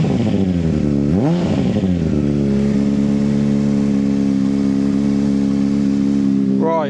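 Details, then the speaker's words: 2005 Honda CBR600RR started after dead battery charged overnight and refitted, fuel pump primed: engine sweeps up and holds high revs with steady drone, not dropping to idle; throttle suspected stuck, high idle. ">> I think his throttle has got a bit stuck."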